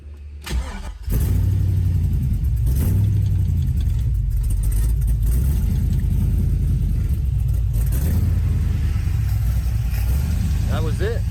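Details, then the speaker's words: LS-swapped Camaro V8 restarted after valve covers were removed and refitted to diagnose a first-drive problem; cranks briefly, catches within a second, settles into an even steady idle without popping back through the carb; 50 psi oil pressure, fixed: normal start and idle. "It is fixed. That is awesome. Still got 50 pounds of oil. That is awesome."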